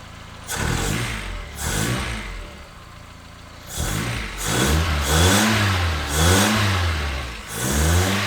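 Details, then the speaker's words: 1976 Toyota Celica RA23 four-cylinder, engine rebuilt 5–10,000 km before years of storage, first start after correcting swapped spark plug leads (firing order 1-3-4-2): catches cleanly, blips up and down about once a second, smooth on all cylinders, no misfire. "So let's try and fire it up now and see how we go. Well, that sounds much better."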